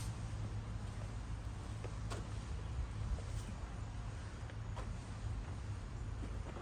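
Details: 2019 Toro Recycler mower after a carburetor repair (emulsion tube blamed for rich running): small single-cylinder at a steady, even pace, low smooth drone, no misses or surging; running healthy.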